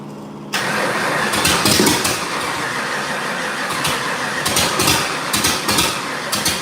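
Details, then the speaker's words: 1989 Mustang 351W with remade fuel line: starter churns, then the engine catches with a rough, uneven stumble while the distributor is turned. It is suspected as a misfire from plug wires out of firing order, with more timing also suggested. "trying as you're doing that your dad's rotating it sounds almost like a firing order issue"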